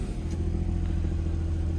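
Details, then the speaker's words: Copart auction car (Infiniti or Nissan), 144,000 miles, on a cold morning: a deep, even engine hum holding steady without ticks, knocks or stumbles; a healthy motor running normally. "sounds really good okay yeah this thing sounds good 144 000 miles definitely uh this might be a good one"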